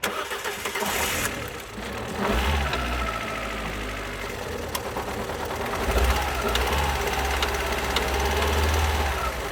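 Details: 2012 Alfa Romeo Giulietta II, 1368 cc 120 PS petrol 940B7000, 164,000 km. Starts and runs with an uneven, lumpy, irregularly stumbling beat: rough running from two cylinders with no compression.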